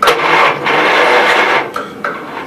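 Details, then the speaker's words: Garden tractor, battery only partly charged: starter labours in short, slow grinding pulls and engine never catches; slow cranking from weak battery. "I did get to charge up enough at uh kind of turns over"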